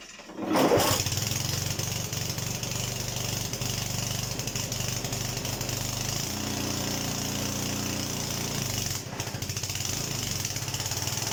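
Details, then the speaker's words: Honda HRD536 petrol lawnmower after replacing the drive clutch plate, started once the spark plug was refitted; pulls over, catches, then steady buzzing run with a brief tone change midway, running normally. Owner notes engaging clutch plates tends to make it try to stall. "Do you know what really helps when you try and start a petrol engine? You put the spark plug back on. And now it will work."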